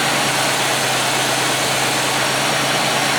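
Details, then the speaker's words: 1995 Oldsmobile 88 with a 3800 Series II V6 after fixing a crank-no-start no-fuel-delivery fault with a cheap junkyard part: steady, even idle with a smooth low hum and no knocks, misses or stumbles. Normal idle. "nothing like the sound of a 3,800 running as it should"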